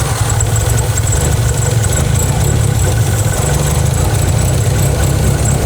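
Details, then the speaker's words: Renault 5 GT Turbo running for first time in five years, oil leaking onto injector 4: low heavy idle throb, slightly uneven with no sharp knocks; lumpy idle, cause not yet found. "My question is, why does it run lumpy? That's what I would like to find out."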